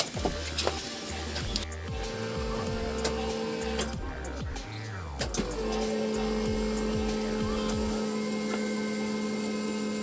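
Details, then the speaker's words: Maruti Suzuki Super Carry Turbo diesel during service with fuel filter change, ignition key cycled: steady 12 V electric lift pump hum from the fuel tank with clicks around it, filling the diesel filter; priming normally. "Motor का शोर ऐसा सुना जाता है, अभी ईंधन भरें pump चल रहा है। और डीजल फ़िल्टर में डीजल आपूर्ति कर रहा है।"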